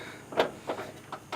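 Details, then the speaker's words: Broken transmission in a 600+ whp H22 Honda Civic: four sharp metallic clunks at irregular intervals as the drivetrain is turned by hand, showing heavy internal play from something badly broken inside. "hold you can hear that clunking to know that yeah it's [ __ ]"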